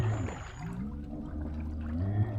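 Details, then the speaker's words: EDGE K4 Smart Drive eFin electric fin on a kayak/SUP, underwater motor at 66% battery: low hum wavers and lurches with churning gurgle and rough tone as debris catches in the prop; owner stops, then reverses to blow it out. "I can hear stuff getting caught in the prop. So, I'm going to stop. Oo, yeah, that didn't sound good."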